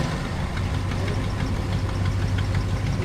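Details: 1975 Ford F100 Supercab, first start after a year sitting, cold day, running off a gas can with fuel lines bypassed; light irregular ticking over a low, rough cold idle; exhaust manifold leak tick.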